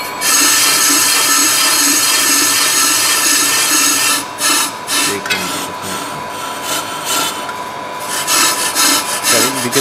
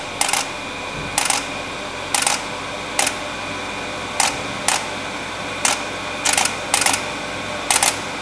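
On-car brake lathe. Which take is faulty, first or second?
first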